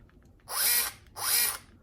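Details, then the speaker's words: Axial SCX10 III RC crawler that wouldn't climb out of a creek, held in hand: two short bursts of high motor whine spinning up freely with no load. The owner suspects a slack slipper clutch or spur gear nut, so no drive reaches the wheels. "Not going anywhere, so you got no power. So I think inside the gearbox here, the nut what holding on the spur gear is slack with the slipper clutch and all that."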